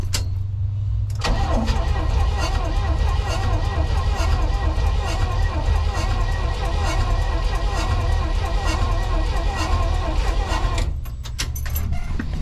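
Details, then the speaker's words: Chevy Nova sitting 35 years since 1987, cranking with spark plugs installed and oil pressure gauge fitted: steady, even low chug, turning a bit slower than without plugs but healthy; no oil leak; normal cranking. "Definitely turn over a bit slower. That's because we got the plugs in it now, so still sounds good."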